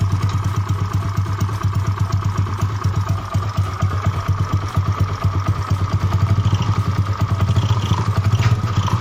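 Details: Yamaha Mio bored up to 150cc with standard parts, freshly assembled, first start test (previously rough, worse when hot): fast, even single-cylinder idle with a loud, throaty exhaust, no knocks or misses; normal.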